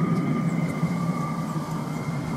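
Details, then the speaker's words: Chinese 5 kW diesel heater on a spare burner module, pump packed in sheep's wool insulation, still at level two: steady, even fan whir and faint hum, no pump clicking audible unless very close; normal running, pump effectively inaudible. "and again all I can hear is the [Music] fan they have to go very close to here the pump"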